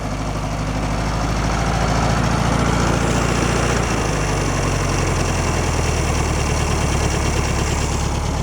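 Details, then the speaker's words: 1966 VW Beetle, stuck valve freed, valve cover back on, warming up: steady low idle with light tappety tick and slight unevenness; runs better but valves still need readjusting after warm-up. "to let that warm up for a while then we're going to go back and readjust the valves and see if we can get this to run like it should"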